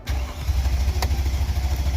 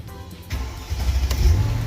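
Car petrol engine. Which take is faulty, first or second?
first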